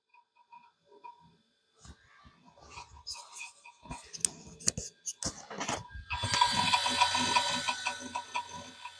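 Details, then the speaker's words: Retro 90s custom PC booting Windows 98: irregular sharp ticks about three per second, then steady fan rush; hard drive clicking loudly, suspected oxidation or moisture. "Yeah, I mean, it's working, but it's definitely, you can hear that it's clicking quite loudly."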